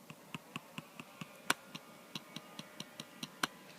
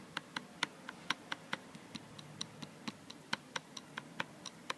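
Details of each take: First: New 2013 MacBook Air trackpad clicked in a quiet area where it behaves fine: crisp single clicks, about five a second, each clean with no buzz or rattle. Rattle occurs elsewhere on the pad; normal trackpad click here. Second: New 2013 MacBook Air trackpad pressed or clicked on the left side: sharp even taps about three a second with a thin tinny rattle, quiet elsewhere; suspected looseness or a gap between glass and steel, unconfirmed.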